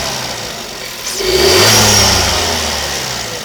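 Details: New Škoda Fabia 1.2 TSI 81 kW petrol engine blipped once: light metallic rattle over the rev rise fading as it settles; owner asks whether it is chain rattle, possibly timing chain, unconfirmed.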